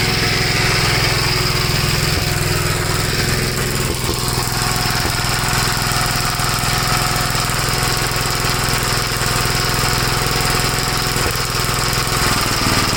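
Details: 1956 Gravely L single-cylinder after head gasket replacement and re-torquing the head (carburetor ruled out): uneven chugging with occasional sharp exhaust pops. It no longer stalls from high speed to idle; backfire cause not yet pinned down.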